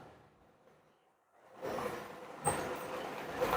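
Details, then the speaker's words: Perodua Myvi 1.0 EJ engine that used to run rough only when hot, after repair and at hot temperature: after a quiet spell it cranks, catches and settles into an even idle with no stumble; normal hot idle. "Sekarang ini kereta sudah siap, tidak semput sudah ya."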